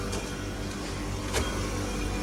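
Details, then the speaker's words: Actron Air air conditioner on R410a, after a refrigerant leak causing an E6 fault was fixed and the unit recharged (about 3k, possibly slightly overcharged); compressor hums steadily while the solenoid valve clicks as it cycles in and out. Compressor itself not cycling, normal. "it's cycling on and off. Like the compressor's not cycling on and off, but it's got a solenoid valve that it keeps triggering in and out."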